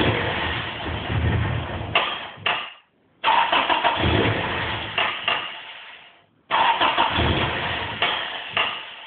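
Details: Toyota 3S-GE JDM engine smoking, now no start at all: three long cranking bursts, starter churning evenly, never catches; crank no start.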